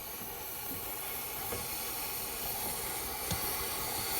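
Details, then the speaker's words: 2006 Ford 6.0L Powerstroke that cranks but won't start when hot, engine off, compressed air fed into the high-pressure oil system via the ICP sensor port: steady hiss of an air leak from a dummy plug, not the injector. "we do have a leak somewhere here now I thought it was leaking from the injector but it doesn't seem like it's leaking from the injector it seems like it's leaking from this dummy plug over here"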